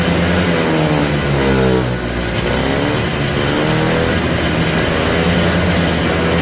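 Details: Polaris Trail Boss 250 two-stroke, just revived: revs up and sags back unevenly, never settling to a steady idle. The owner suspects the carburetor idle circuit is still plugged and plans more carb work.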